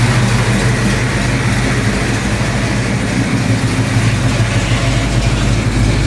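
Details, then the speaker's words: 1972 Chevelle big-block, at operating temperature after the overheating cause was found (a kink in the old thermostat housing stopped the thermostat opening): deep, even idle with a steady low rumble and no misses or knocks; normal idle. "So we are up to temperature."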